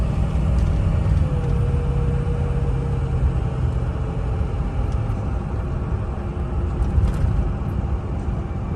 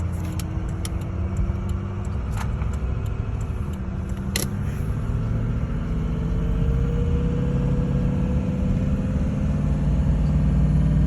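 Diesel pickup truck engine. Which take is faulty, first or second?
second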